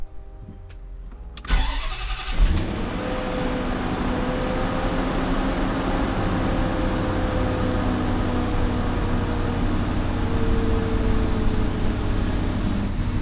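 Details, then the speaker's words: Supercharged Range Rover (L322) after its MAF sensor was cleaned and PCV valve replaced, throttle body not yet cleaned: a brief crank, clean catch and quick flare, then an even, steady idle with no misses; it starts fine but the sound is no different yet. "So far sounds good, but nothing different. But it didn't have issues with startup."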